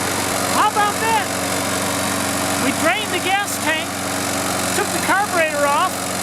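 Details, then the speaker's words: Toro Recycler mower, Briggs & Stratton single, after cleaning clogged carburetor: steady even low hum, birds chirping, runs smoothly without stumbling; starts on first pull. "it all apart cleaned it put it back together and she starts on a first pull"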